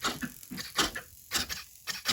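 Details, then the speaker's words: RC aircraft twin-cylinder 31cc RCGF gas engine, CDI fired by an ignition tester without running: irregular bursts of buzzing clicks as servos, including throttle, twitch from ignition interference caused by loose, arcing spark plug caps; tachometer also fails. "This is what happens when you have a loose spark plug cap. It twitches all your servos."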